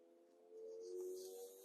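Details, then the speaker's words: Maxus T90 EV pickup creeping off at low speed on a test drive: soft, steady hum-like tone swells briefly; low-speed pedestrian warning, which switches off at 15 mph, working as intended. "You hear that low speed warning, pedestrian warning again."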